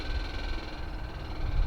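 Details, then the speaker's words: Home-built Searey seaplane, electric fuel pump switched on with electrical system: steady thin buzz over a low rumble as fuel starts flowing; pump working normally. "now it's probably got fuel in it but it stopped sounds like there's fuel coming we have fuel"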